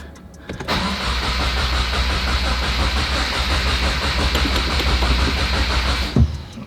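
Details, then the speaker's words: 2023 Subaru WRX with FA24 engine after a Perrin external oil cooler install, cranked with full throttle and clutch in to build oil pressure; even starter cranking at about three beats a second for five seconds without firing, normal priming crank. "I'm gonna hold the throttle 100%, clutch all the way in, and we're just gonna crank it."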